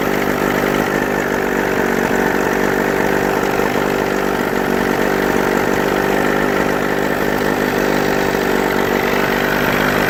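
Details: Mid-1980s Johnson 35 two-stroke outboard, previously hard to start when warm; after cleaning a bad ignition harness connection it restarts warm and idles steadily and evenly with no misses or surging.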